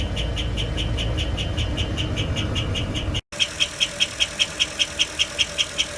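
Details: 2004 Holiday Rambler motorhome, 8.1L 8100 Vortec, 60,000 miles: sharp high chirps about 2.5 per second over the running engine, appearing after about 5 minutes warm-up, slightly quieter at higher rpm; no visible exhaust leaks.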